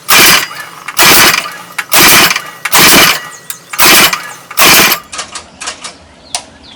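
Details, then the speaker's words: Manco Black Fox go-kart, elevated, just started with choke, throttle mashed: small engine flares in harsh bursts about once a second, then sags and sputters; bog on acceleration, owner suspects the too-small carburetor, possibly exhaust. "And then we're going to, mash down on the accelerator there and see if we can recreate that bog."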